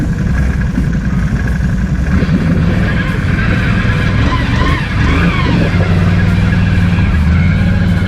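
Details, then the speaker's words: 2019 Can-Am Outlander on 29.5x8 mud tires in thick mud, heard at CVT exhaust: engine labours with high whine, belt screaming under load; CVT belt slipping, owner plans primary clutch and secondary spring. "So when I'm getting into soupy stuff or thick mud that's really putting some tension on the whole system, I can hear that belt screaming out the CVT exhaust."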